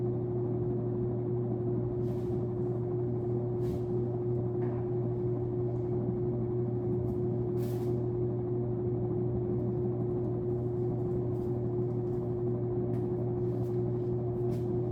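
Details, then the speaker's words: Sears Lasko Turn of the Century 52-inch ceiling fan on test, running on high speed: steady low hum with a higher droning tone that never changes; loud motor hum, possibly from the light, cause not confirmed. "So I'm going to start on high. Wow, that hum is awful."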